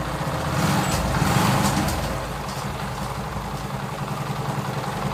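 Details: TVS XL100 (Super XL 100cc) moped single-cylinder idling after tappet adjustment, kick-started and heard close up: even, steady beat with no tappet clatter; engine set perfectly, smooth, no problem.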